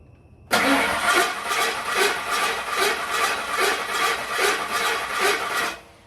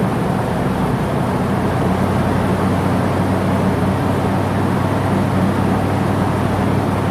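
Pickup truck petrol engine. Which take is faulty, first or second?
first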